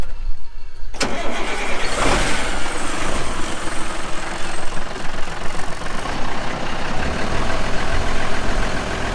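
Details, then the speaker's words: Old diesel dump truck, full load, after fitting with Teflon tape following lost fuel prime: short crank, then catches into a deep, steady idle with no misses; normal start, drawing fuel from tank. "This should fire right up. And it'd have ran out of the diesel in those cans by now if it wasn't pulling something from the tank."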